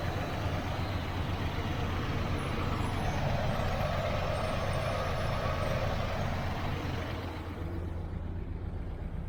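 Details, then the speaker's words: 1968 Chevrolet Nomad V8 after carburetor swap: low, uneven pulsing roughness at steady idle, starts right up; rough idle, owner suspects distributor or valves, cause unclear. "I just wonder if it's the distributor like it it was with the irck either that or just something in the engine you know just valves or something just just a little rough on the idle but starts right up and everything"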